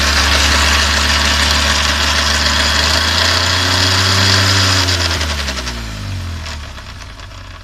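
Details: BMW R1200GS motorcycle coasting down: a steady whirring drone drops in pitch with a faint regular beat. Strange noise from the final drive, cause unknown.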